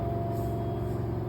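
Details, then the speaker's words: LG front-load washing machine, 3 kg load, phone held close during a 1400 rpm spin: smooth steady low hum with no knocking, thumping or grinding; a glass of water on top stays still, normal running. "Các bạn có nghe thấy tiếng ồn gì không ạ"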